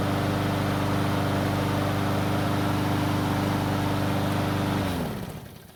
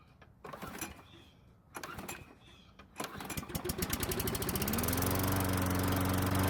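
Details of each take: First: Stolen-and-recovered John Deere pull-start mower, restarted cold in two pulls with three primer presses: smooth, even idle with steady low hum for nearly five seconds, then winds down cleanly at shutoff; still sounds great, normal idle. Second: Stolen-and-recovered John Deere pull-start mower, cold: three short bursts of pull-cord cranking, then it catches and settles into a steady, even run; took four pulls, owner suspects flooding from pressing the primer bulb too many times; hard starting.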